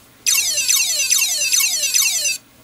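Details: Hard drive, believed from an old Sony Vaio laptop, emitting a high whistle falling in pitch repeatedly, about two sweeps a second, while stuck after asking to be formatted; abnormal high-pitched noise, cause unknown.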